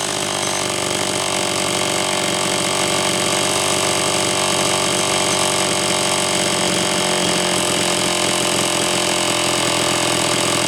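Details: Homelite Super XL chainsaw (brought in for boiling fuel and overheating) on test run after starter spring fix and replacing a bad new spark plug; steady high-rev scream, no stumble or surging; high side set slightly rich on purpose to warm it up; running healthy.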